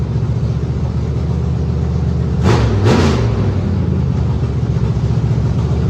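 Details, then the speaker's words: Factory Stock dirt-track race car V8 after fitting the right flywheel, which cured a previously severe shake: deep, even rumble with one short throttle blip, no shake or knock; sounds good, a success. "Well, I call that a success, folks. [laughter] Sounds good, too."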